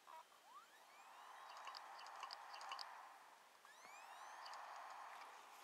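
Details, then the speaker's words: Lenovo ThinkPad T61 with its likely original OEM hard drive, on restart: faint whirring spin-up with rising chirps and soft ticks that repeat and stall. The drive struggles to spin up, a known problem from cold boot. "so obviously it has problems starting up"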